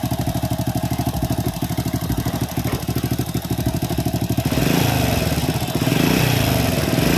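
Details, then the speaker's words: Honda Supra X (C-series) motorcycle idling rough with a dry metallic clatter that grows with revs. The noise is still there after the cam chain tensioner pusher was replaced; a check ball had come out of the automatic tensioner lifter pipe. Cam chain removal is next. "Baik Kang Bro, untuk suaranya tetap masih kasar ya. Langkah selanjutnya kita langsung bongkar bagian rantai ketengnya."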